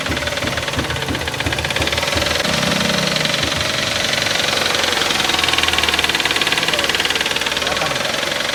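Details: Toyota GLi idling after someone's oil change left the car faulty; fast, loose tapping about three per second over the engine note; engine knock, source not pinned down, cause suspected.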